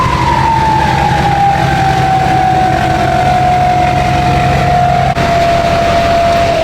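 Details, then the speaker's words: Diesel truck idling with RDS 9-blade turbo after previous turbo destroyed running without air filter: steady idle, clear high whistle sliding slowly down as turbo settles; smooth healthy idle. "I'm telling you guys, that RDS 9 blade sounds so good."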